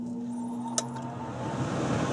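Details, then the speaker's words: York furnace after DIY inducer draft fan replacement, first power-up: quiet hum builds to a smooth steady rush of air in about 1.5 seconds as the indoor blower starts normally, first step of the sequence. "hear the inside fan coming on to blow air into the house. That's the first step."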